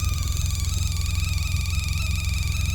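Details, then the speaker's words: Sea Ray 19 boat, engine running: steady low hum with a whining electronic tone through the speakers, humming even with key on; suspected back-feeding through the amp, amplifier adjustments change it. "I don't think I've ever heard anything like that before that's weird it's back feeding through the amp which I think's probably in here our amp right here"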